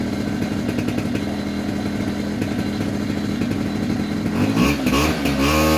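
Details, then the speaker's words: 2004 Polaris Predator 50 two-stroke mini quad with new carburetor, float height corrected per service manual: steady idle burble snapping cleanly up in revs from dead idle at full throttle, no hesitation or flooding; normal idle and throttle response. "notice how it was responding to throttle you know even from dead idle when you floor it it would pick up momentum you know pick up rpm without hesitation without sounding flooded or anything"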